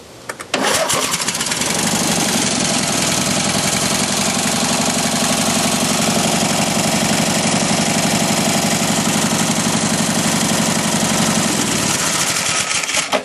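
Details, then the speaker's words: Mastercraft racer twin engine running, still warming up: catches quickly, steady idle with slightly lopsided beat; low compression on right-hand cylinder, improving as it warms and vibrating less. "So, it's still has a little bit of compression issues on this cylinder here, which is the right hand cylinder, but it is running."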